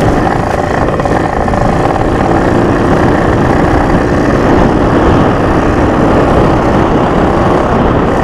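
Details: Junkyard Yamaha PW80 two-stroke dirt bike after rebuild with carb kit and Boyesen reeds, during break-in ride: flat, muffled pull under load never clearing to a crisp rev, bogging so only first and second gear usable; owner suspects fuel mixture or vacuum leak.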